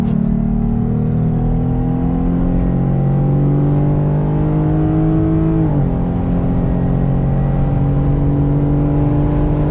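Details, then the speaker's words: Jeep fitted with bolt-on upgrades (throttle body spacer, tuner), driving at light throttle and then accelerating. A smooth engine note climbs cleanly with no stumble or popping; it runs much smoother without feeling much more powerful. "So right now I'm just lightly on the throttle. You know, it doesn't feel like there's a ton of extra power there, but it just operates so much smoother. So we'll get on the gas here."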